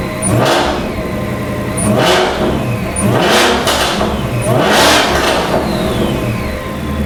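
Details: Stationary sharp revs of Whipple Stage 3 supercharged V8 Super Snake, briefly warmed, after installing Whipple carbon fiber intake and larger air filter boxes: high supercharger whine rising and falling with revs plus intake noise, louder than before; normal, healthy.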